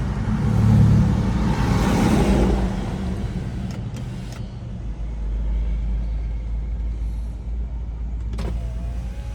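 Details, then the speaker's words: 2009 Nissan Altima CVT after repair (was whining, limp mode, unresponsive gas pedal) on road test at about 35 mph: steady road and engine drone, no hesitation, whine, slip or surge; normal CVT operation while driving. "she's right she's driving she's driving good on about 35 no hesitation no noises"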